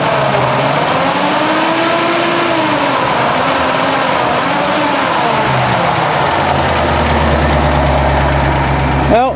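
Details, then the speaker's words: Carbureted Ford F100 truck after about 10 minutes warming with Seafoam circulating, no load: steady low idle, smooth rumble, no miss or knock, sounds better than before, no smoke; normal warm idle. "a load, and it sounds a lot better than it did. and still no smoke, so we're"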